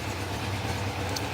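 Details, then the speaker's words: Honda F2 750 four-cylinder motorcycle, stood damp over winter with water in the exhaust: tickover with slight unevenness and a small popping misfire from one cylinder, number 3 running cooler, blamed on a fouled spark plug. "Now one of the plugs is not firing right, and I can see by the tick over, and it's got a little tiny misfire. So listen to this, you'll hear it pop."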